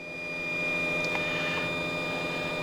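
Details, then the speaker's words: Aqua-Hot 400D RV heater after repairing relay contacts on the control circuit board: burner fan motor spins up with steady hum and high fixed whine, smooth and even; flame lights shortly after. Normal start. "That's the motor starting. Thus far, the flame has not lit, but that should be coming along momentarily."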